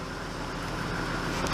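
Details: Nissan R32 Skyline GTS25 idling after a Walbro 255 fuel pump install, first start after sitting a few months over winter, with moisture in the exhaust that the owner says is not a head gasket: low, even idle burble; normal idle.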